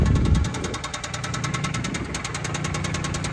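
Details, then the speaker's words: Vehicle just unloaded from a trailer, burning some oil; steady idle with a quick, regular knock around three per second over the rumble, engine knocking with the cause undetermined, and the owner thinks it needs a new motor. "You can hear the engine knocking. Burning some oil, too. Definitely could use a motor, but"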